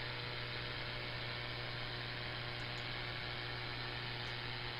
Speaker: As you can tell, that noise was pretty severe. and it really uh really uh tore things apart.